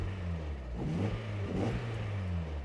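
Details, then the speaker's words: Mazda Miata not yet fully warm, after its blocked throttle body was cleaned: quick throttle blips rise cleanly and drop straight back to a steady idle with no stumble; crisp, normal throttle response, unlike before. "here's something I'm noticing I touch the throttle and this is a completely different car than before"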